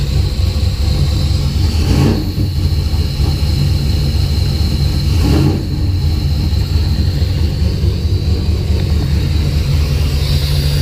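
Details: Deep, uneven idle rumble with stumbling surges; the engine hunts and runs rough. Spark returned after the coil wiring loom was moved. Fuel pressure was 50 after prime and over 60 during prime. It sneezes fuel and is really rich, with healthy cranking.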